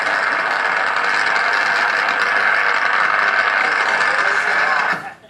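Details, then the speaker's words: Electrical switch, recorded at a reading of 11 dB: constant rough, crackly hiss with a faint uneven flutter, holding steady until it cuts off. It is abnormal for a switch; cause unknown. "do you think that's something that we want to hear from a switch most likely not"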